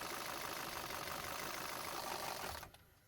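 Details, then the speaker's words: VW Passat 1.8 TSI with engine knock, coils unplugged one at a time while running: sharp regular knocking about four times a second over a light engine note, then cut off; rod knock, pointing to cylinder 4 rod bearing. "At this stage, I have to admit there is internal mechanical failure and everything is pointing towards cylinder 4 rod bearing."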